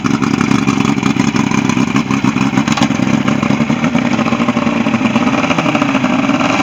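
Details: Ebbtide boat engine, final running test after a no-start, 6/6/23: steady, even drone with busy mechanical patter, no misfire or stumble, at constant speed; running normally.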